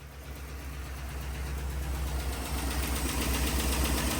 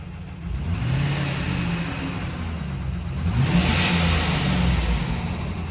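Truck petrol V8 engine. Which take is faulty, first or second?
second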